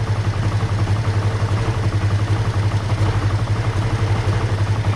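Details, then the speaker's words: 2005 Kawasaki Ninja 500R, first start after sitting 10 years, carbs rebuilt, choke off, idle just set: steady even low parallel-twin pulse, no misses or knocks, faint body panel buzz; healthy idle. "It's clear that it needs to run a little bit, but it sounds pretty good. I can hear the body panels vibrating, but overall it sounds healthy."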